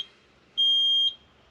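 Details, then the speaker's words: Peterbilt truck with dead batteries, in neutral after a failed start attempt: a single high-pitched half-second beep, the low-voltage indicator warning that the batteries are near the bottom end. "That's actually like a low voltage indicator inside the truck to let you know that the batteries are like starting to get down towards the bottom end, which they are already there."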